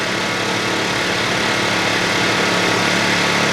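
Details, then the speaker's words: New Champion 2000 W inverter generator, just started in two pulls and running unloaded, indoors with the door open: a steady, fairly high buzz with an even beat and no surging or misfires. Normal. "But that's how loud it is, and I believe that's not on the economy mode."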